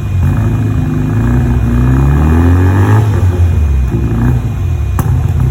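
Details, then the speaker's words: Mazda RX-7 FD rotary on first start after revival: a lumpy, uneven low idle broken by occasional sharp pops, a misfire; owner believes timing is off and a new ignition condenser is needed. "did you hear it it's a little pop yeah so we need we need that uh oh okay so we need that uh that that condenser because timing is timing's all over the place right now"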